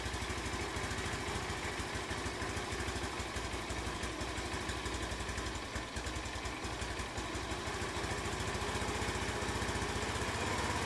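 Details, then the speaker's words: Honda C90 with new OO Racing replacement carb, after shortening throttle cable for free play, before warm-up: small single ticks over steadily at about three beats a second, even and without stumbles; idle acceptable. "Yeah, it doesn't seem too bad."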